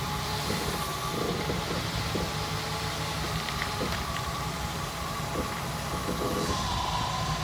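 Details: Jeep CJ5 engine: steady rumble broken by scattered, irregular sharp pops, roughly one or two a second.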